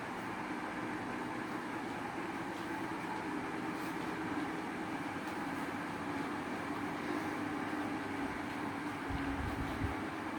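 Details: Usha fan running with a continuous whirring rumble and faint droning hum, not a clean smooth spin: abnormal fan noise.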